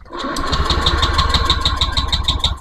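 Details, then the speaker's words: Honda Beat ESP scooter that won't start, MIL blinking code 12 (injector), injector not spraying: starter cranks at about six even pulses a second but the engine never fires; no fuel is delivered. "ya Nah di sini injektor tidak menyembur Apakah ini permasalahan ada di injektor Apakah ada di kabel kabel yang putus ya"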